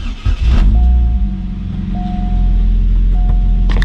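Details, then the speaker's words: Supercharged Chevy Cobalt SS on its first start after rebuild, cold, in neutral. It catches quickly and settles into a steady, even low rumble with no misses or tapping, a healthy normal start and idle. "But she sounds good. She sounds healthy."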